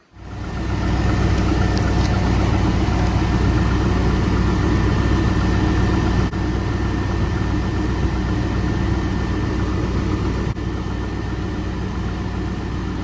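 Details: 1997 Chevy 1500 5.7 V8 at a steady, even idle with a smooth low rumble and no knocks, ticks or squeals. It was just restarted after an alternator replacement for a no-charge fault, with the serpentine belt refitted and a different battery. Normal idle.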